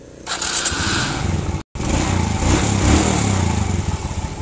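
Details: Suzuki Smash/Shogun motorbike after the loose cam chain tensioner fix (10 bolt, 6.5 cm long, with a locked nut): catches after a short pause and settles into a steady, even putter with no loose tapping; the earlier klotok is gone.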